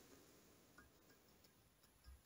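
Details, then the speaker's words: 1975 Triumph Trident T150V cylinder head on the bench: light metallic pings, about two a second, as an inlet valve is rocked in its guide, showing excessive valve-to-guide clearance; the inlet valve and all valve guides will be replaced. "and yeah there's a fair bit of rock on it you can hear that pinging away"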